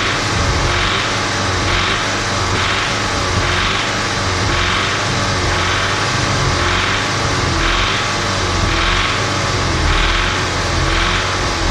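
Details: Audi S3 2.0 TFSI (CDLA) smooth and quiet at idle. Revved up and down it gives a rough diesel-like cam clatter, yet the car drives perfectly.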